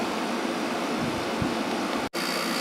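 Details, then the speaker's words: Kenmore (Whirlpool-made) 8000 BTU window air conditioner, no thermostat, single-speed fan, running about 10 minutes at 6.13 A / 680 W, putting out nice cold air; steady even blower rush with smooth hum, no rattles or squeals: normal operation. "WT SS real good putting out nice cold air there yep it's working"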